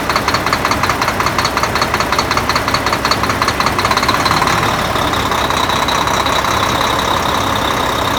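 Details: Volvo D13 diesel after replacing double idler gear in timing gear compartment, following a hard start; settles into even idle, steady clatter about 160 beats a minute, no misses or stumbling.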